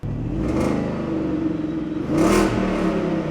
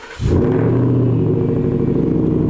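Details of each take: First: 2017 Shelby F-150, supercharged 750 hp 5.0 Coyote V8, new stainless dual 3.5-inch exhaust test-run before piping goes over the axle: deep burble with raspy, crackly edge on throttle blips; some leftover rasp. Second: 2017 Shelby F-150, supercharged 750 hp 5.0 Coyote, after a new full stainless dual 3.5-inch megaphone exhaust: engine catches and settles into a smooth, even, deep rumble with steady low pulses, no ticks or rasp; a clean, healthy exhaust.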